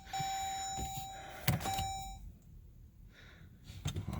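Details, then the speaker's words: 2014 Jeep Grand Cherokee not cranking: a warning chime, then one sharp click and no cranking, the starter not engaging. Owner believes the plug-in wire connector on the starter (yellow wire clip) is failing from moisture. "okay trying to start the car it's not cranking and it's just a click"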